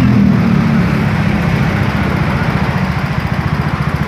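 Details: Yamaha Mio J scooter that had been hesitating (brebet) with MIL flashing 15 times, after the fault code is cleared with a diagnostic tool: even low single-cylinder thump at steady speed, no hunting or surging; idle holds smoothly.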